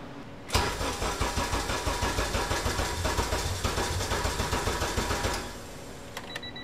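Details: K-swapped Honda Civic EG, K23/K20 turbo hybrid on a newly loaded 05-06 RSX base ECU: long labored cranking about three pulses a second with no clean catch before dying; wrong fuel injectors for the tune, won't idle.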